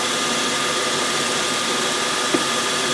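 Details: 1956 Logan Model 922 11x36 lathe, first run after repairing the 5C collet closer for vibration: steady even hiss and hum from the spindle drive with no knocking, chatter or grinding; runs smoothly with basically zero runout.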